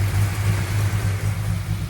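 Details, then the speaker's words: 1968 Dodge Coronet R/T numbers-matching 440 V8, rebuilt with roller cam, first run in forty years on a temporary carburetor: deep, steady burble with slight hesitation but no knocks or misses; engine sounds healthy at idle. "but it runs doesn't sound too bad that old carburetor we took off the car for a reason it's got a little hesitation in it but not bad no motor sounds good"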